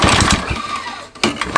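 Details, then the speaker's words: Mountfield Emblem two-stroke lawn mower with a homemade copper-sheet bottom bearing, trying to start on flammable spray, fires in short ragged bursts with a dry scraping rasp, which the owner attributes to the pull-start; scraping noise on starting. "make that noise that's scraping noise is the pokéstar"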